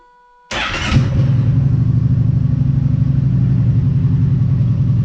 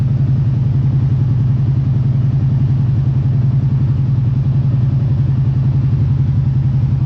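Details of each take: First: Kawasaki Brute Force ATV with the spark arrestor removed: it cranks, catches and settles into a steady, deep, loud, unmuffled idle, reading about 65 on a sound meter at idle. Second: Kawasaki Brute Force ATV idling after the cleaned spark arrestor is reinstalled. Even, deep thumping idle with no clatter, sounding about the same as without the arrestor. Normal idle.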